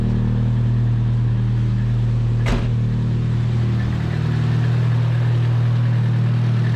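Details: 240 idling right after start to check a newly installed oil temp sensor for leaks; none seen, and the sensor reads. Deep, steady low hum holding one even pitch with no misfires or knocks, just a single click; idles smoothly.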